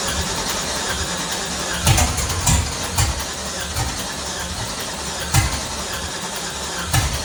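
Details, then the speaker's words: LS-swapped Nissan D21 Hardbody, first start after reinstalling engine: runs rough with uneven surges and stumbles; camshaft circuit code, suspected cam sensor not reading because unlabeled crank, cam and MAP plugs were mixed up. "right so there's there's three sensors that have the same plug which is the crank the cam and the map sensor and they're not labeled so we're we're running into what we have right there we had a circuit camshaft so I'm assuming it's just not reading Camp"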